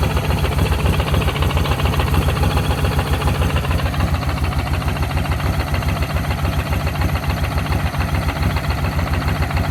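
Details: Kawasaki VN1500 Classic with an even, loping V-twin idle, about 214 pulses a minute, and a deep exhaust thump with no sharp tick riding over it; sounds healthy.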